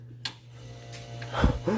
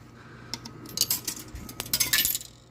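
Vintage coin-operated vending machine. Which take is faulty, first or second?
second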